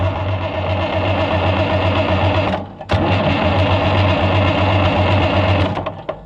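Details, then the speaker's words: Oliver 1650/1655 tractor after swap to a new Delco-style distributor: even cranking about four beats a second, a pause, more cranking, no firing; new points unsanded and greasy, giving no spark. "We forgot to sand the points cuz we know it's not going to run like this brand new."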